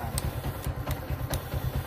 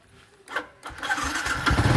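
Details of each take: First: Yamaha Exciter 135 single-cylinder keeps idling evenly after the key is switched off and even removed; a headlight wire touching the battery feed keeps the ignition powered, cause of the run-on. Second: Yamaha Exciter 135 motorcycle that kept running with the key off, traced to a faulty battery wire: a couple of starter cranks, then the engine catches cleanly and settles into a steady, even idle with no misses.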